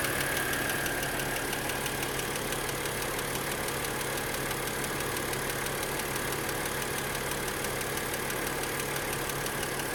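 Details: BMW E90/E92 N52 inline-six at idle: light, fast, steady ticking over smooth idle; noisy hydraulic lifter in the top end, not cured by holding 3,000 rpm for two minutes.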